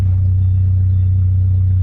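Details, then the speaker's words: MK3 VW Golf at idle: a steady, very deep, loud droning hum from the exhaust, strongest at the rear corner of the car and fading toward the back. Exhaust drone. "Like right here in the corner, it has this crazy loud like hum to it. And then back over here, it kind of goes away."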